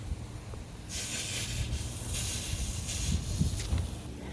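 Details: Sprinkler zone, apparently zone 3 front lawn, run via quick run from a newly installed Rachio 3 8-zone smart controller: steady hissing spray with slight pulsing and outdoor rumble; normal watering.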